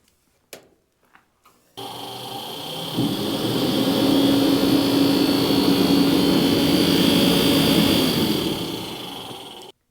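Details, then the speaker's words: Barn diesel heater, about 5 years old and never cleaned, started in cold weather (teens to 20s °F): the fan struggles to spin up with a rough scraping rattle and roar, as if it is hitting something. "so as you can probably hear the fan doesn't want to spin up very well sounds like it's hitting something it just it doesn't sound right"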